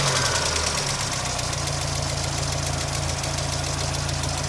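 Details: 1992 Miata, first start since cracked radiator and suspected blown head gasket (no water in oil, oil pressure seems fine): fast even tick about four per second at steady idle; owner unsure if lifter tick or rod knock.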